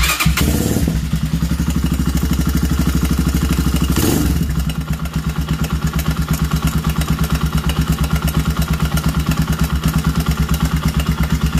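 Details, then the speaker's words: Honda CB250 single-cylinder, cold morning idle: rough dragging mechanical rhythm under low exhaust thump; the ugly dragging noise happens only when cold, and after about 10 minutes warm it runs clean with no valve noise, cause unknown. "tengo una motocicleta con un sonido muy extraño como un sonido arrastre un sonido feo a la hora de prender esto pasa solo cuando está fría"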